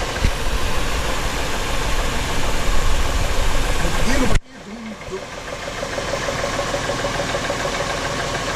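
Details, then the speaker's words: Engine after Seafoam and Lucas Oil additive treatment: loud rough running drops to idle with a dull, uneven knock about four times a second; engine knock persists, owner thinks the engine is done. "see this she's still knocks for cake"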